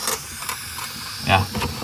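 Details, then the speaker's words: Single-door refrigerator not cooling: thin gassy hiss in short bursts from the evaporator, refrigerant escaping through a leak; fix is pressure-testing the evaporator with air at about 100 PSI. "Nah di sini ada suara desis teman-teman ya di bagian sini nih nah ini ya suaranya terdengar di sini ini bocor ini teman-teman tuh"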